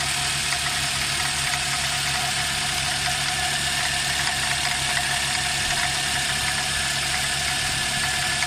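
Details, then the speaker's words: Nissan X-Trail engine at idle, squeaking from an engine pulley: a high-pitched squeal with a dry rattle under it that follows engine speed. The belt tensioner is worn and was replaced. "this Nissan x-trail the engine is squeaking fully I think from the fully engine pulley if something is squeaking"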